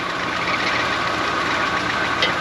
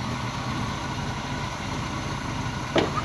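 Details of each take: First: Old Chevy cube van V8, started several times, also with a belt issue; busy idle with light, quick, steady ticking on top; lifter tick. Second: Long-stored Chevy cube van V8 running after exhaust manifold work: quiet, even idle with steady low hum outdoors, no knocks or misses; engine running smoothly.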